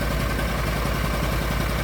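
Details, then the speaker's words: Argo ATV idling after the fuses were replaced, which restored power to the fuel solenoid; new carburetor; gauges and lights work: steady low thrum with even pulses, no misfire or knock. Normal idle. "and hit the key and it's running. All my gauges work, lights work, all that stuff. It's idling."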